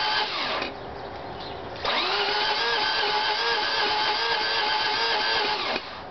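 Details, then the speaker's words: 1988 Mazda RX7 convertible rotary, fully charged battery, no blown coolant seals, not flooding: starter spins with a high steady odd whine about four seconds, engine never catches; no start, cause unknown. "is so as you can see I don't know it just sounds like the starter is being weird like I have to watch the video again"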